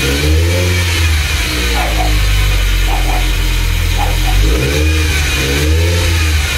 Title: 200sx first start after rebuild.